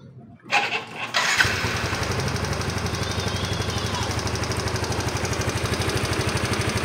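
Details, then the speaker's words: Yamaha Mio i 125 (M3) scooter, cold start: quick light ticking over even idle from worn rocker arm rollers with large roller gap; quiets once warm, camshaft and valves fine; fix is rocker arm replacement. "Arog na pala yung mga roller niya. Kaya pag unang start, malagitik. Pero pag makitil lang isa, tahimik naman."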